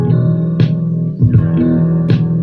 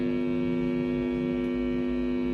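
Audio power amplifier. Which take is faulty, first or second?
second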